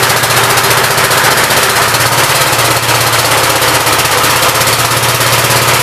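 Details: 59 Gravely LI single-cylinder engine, 20-over piston, previously water in the oil; quick even bark at steady speed after throttle bumped up, no misses or knocks, good oil pressure, running healthy.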